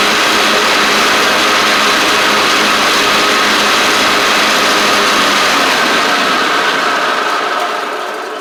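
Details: Cub Cadet Ultima ZT1 zero-turn with 42" deck, bent deck and badly worn blades: strong, even whoosh of the blades over the engine, fading as they spin down, with no scraping. Blades work normally, but they stay engaged with the PTO off, so the clutch is suspected.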